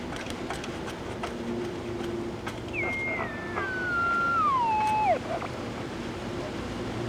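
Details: Mid-1960s General Electric P780 battery-powered AM radio, found dead, audio amp working: whistle slides steadily from high to low pitch over about two seconds above hiss; set oscillating, cause not yet found.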